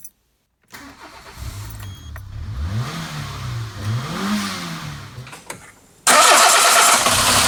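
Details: 2005 Peugeot 206 1.1 TU petrol engine after replacing failed injector 3 that caused a misfire and power loss: starts and blips up and down smoothly with no misfire stumble, then loud rushing noise covers it.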